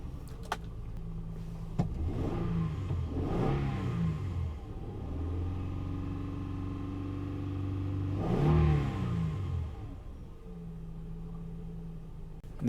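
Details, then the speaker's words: 2003 Honda Odyssey 3.5L V6 with code P0305 and check engine light on: starts into an unsteady, lumpy, shaking idle with an irregular beat; misfire on cylinder 5 from an ignition coil not firing. "engine is definitely shaking"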